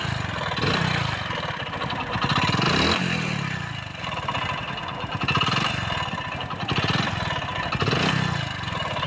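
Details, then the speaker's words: Motorcycle engine with loud noise, no smoke from silencer and pickup fine: loud, rough clatter swelling with each throttle blip over harsh running; connecting rod big-end bearing knock. "दोस्तों जैसे कि आप देख सकते हो bike के engine से जो है बहुत सारा आवाज आ रहा है और इसमें मेन प्रॉब्लम जो है दोस्तों इसके साइलेंसर से कोई भी स्मोक नहीं कर रहा है धुआ नहीं आ रहा है"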